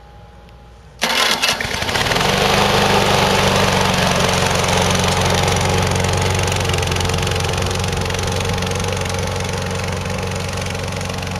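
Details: 2005 RC lawn mower, about 12 years old, after electric start repair: starter whirs about a second, engine catches cleanly and settles into steady even idle with no misses; starts normally.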